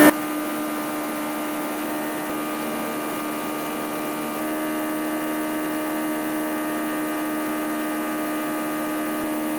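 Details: Onex Aerovee turbo aircraft engine: steady, even, high-pitched drone at constant speed with no knocks, pops or misses, despite a fallen-out intake manifold hose causing a big intake leak; normal running, not the pre-ignition it suffered.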